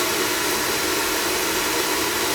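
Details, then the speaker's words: Oil-fired furnace that had been tripping out on safety, restarted after fittings were checked and the line flushed; steady, even burner roar with no pulsing, sputter or dropouts, firing normally. "I just jumped it out down here and it's okay but to fire it up nice"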